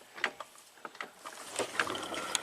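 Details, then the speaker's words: 2014 Jeep Grand Cherokee V6 at 202k miles, one-speed AWD transfer case, jacked up: loose metallic clicks and clunks as the rear driveshaft is rocked by hand, showing slop before the front shaft turns; the stretched chain jumps teeth, causing a clunk under hard acceleration. "but it's about that much slop you can hear the chain in there before you know the uh the other shaft starts to turn"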